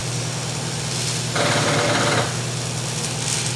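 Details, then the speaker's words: Four-door Ford Bronco (Centurion conversion) that sat about six years: a fast, uneven chatter of about four clicks a second over a low hum when trying to start, engine never turns; the batteries are dead. "no power there you go just dead batteries yeah I guess we could always order some new batteries for it"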